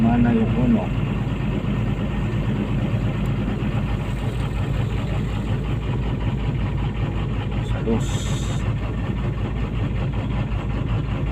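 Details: PC200-8 with a crank/no-start complaint blamed on a defective common-rail pressure sensor (no rail pressure); here a steady, unhurried low diesel idle drone with no knocks or misses, idling normally.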